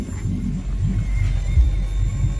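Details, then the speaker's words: Malibu Wakesetter boat audio, engine running: low engine rumble but speaker clean, no engine-related hiss. "Okay, we got rid of the engine noise. I was going to show you the engine's running."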